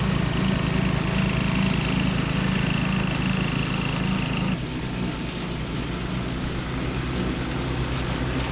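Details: 1979 John Deere Model 68 riding mower, five-speed, running again after years, cover removed and burning oil: steady low single-cylinder thump dipping slightly with load while cutting weeds; runs evenly, healthy.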